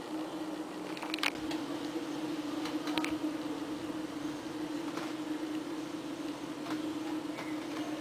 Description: The noise you can hear comes from a ventilation equipment installed this past April 2009 in the boiler room, basement, the past year the loud noise was 24/7.